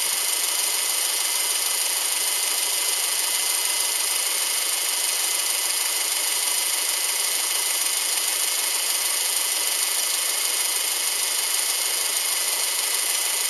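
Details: Subaru Outback EJ253 flat-four after rebuild: steady even idle hiss with no knocking or tapping, smooth and healthy.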